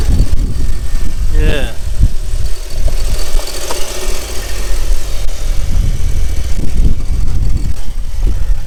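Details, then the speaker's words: Audi A3 1.8T, 180,000 miles, engine management light on, drove 100 miles fine, at idle. A low idle rises and dips unevenly with occasional stumbles: it runs rough now and again. Owner suspects induction or circulation, cause unknown. "but i don't know it just seems to be running rough now and again i'm not sure why it could be to do with the induction if you can hear that"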